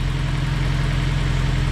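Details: Rebuilt Honda S2000 F20C2 engine on its first run after a full rebuild, idling steadily and evenly with no ticking or puffing at the bent header. No exhaust leak is felt and the header is turning gold from the heat; normal idle.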